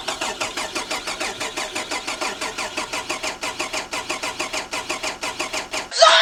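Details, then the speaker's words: VR Commodore manual after a BCM and key swap: the starter cranks in even pulses, about three a second, with no firing; owner is nearly sure a spliced-in aftermarket immobilizer on the body control module wiring is blocking the start. "All right, so we phoned a friend. 90% sure, [ __ ] 100% sure it's an immobilizer."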